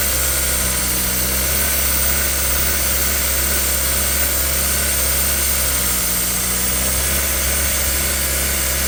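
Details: 2017 Kia Soul 1.6 GDI non-turbo that had low compression, misfires and rough idle, after valve clearance adjustment, warming up with the intake duct off. Smooth, even idle with steady low hum, no stumble or misfire: normal idle.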